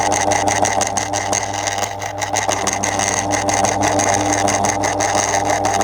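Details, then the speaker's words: 2002 Lloytron F029 9-inch desk fan on test, running while oscillating: a constant coarse growl with a rough, uneven buzz over the motor hum, half smooth and half noisy; the owner suspects the motor is half losing connection, with little grease seen. "Yeah, oscillation still works, but it's not particularly good. That's just terrible. I know. He's half growling. Half half growling. Half struggling to properly cooperate and operate."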